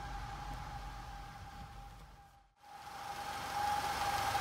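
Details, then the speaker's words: Audi TFSI direct-injection petrol engine at idle with check-engine light on and irregular idle: steady high whistle, belt- or scraping-like, cause not yet identified. "Porém, essa lâmpada de injeção está acesa no painel e o motor apresenta um barulho parecido de correia, um assovio ou algo do tipo."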